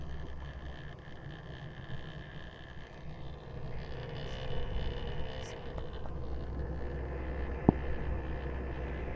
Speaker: uh same with the fat it will read the disc as you can see that's reading the disc but it does make this noise